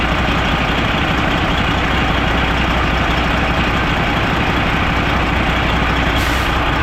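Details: Old Freightliner semi diesel idling with the valve cover off: heavy idle with an uneven, lumpy beat and no clear steady rhythm. A cylinder drops out from a broken injector harness wire, after a replaced injector didn't fix it and the Jake brake was ruled out.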